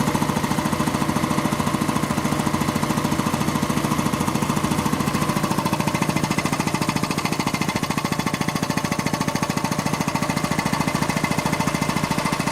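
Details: Quincy 325 air compressor on its final test run after a rebuild (cylinder head cleaned, valves rebuilt, hardened unloader seals replaced): steady, even pumping thump at about 3.5 beats per second with no knocks or misses. Normal, healthy running.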